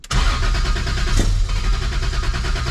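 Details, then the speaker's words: E46 M3 with 1.5JZ engine swap, first start attempts after fuel priming with pressure holding: starter churns, engine catches briefly with rough burst then falls back to cranking; cause unknown. "That's what I want to know. Why does it suddenly go, ah, and then scare itself and it's not starting anymore."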